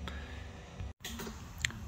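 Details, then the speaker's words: Suzuki Swift with P0420 and P0171 lean codes, smoke tester on after brake booster seal work at the master cylinder: light sparse ticks of the tester's pressure relief valve over a low hum, meaning no leak. "I've got the smoke tester on there and you can hear the um pressure relief valve ticking away meaning we've got no leak"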